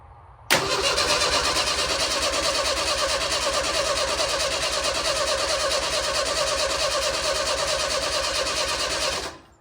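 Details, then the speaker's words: 1965 stretched Jeep CJ5, rewired, cranking steadily at about three beats a second for nine seconds and never catching. Crank, no start; owner later found two wires hooked to the coil that should go to the distributor. "if I was to tell you that I had any idea to 2 minutes ago when I was turning that key over why she wasn't starting or anything if I was to tell you I had any idea I'd be ly"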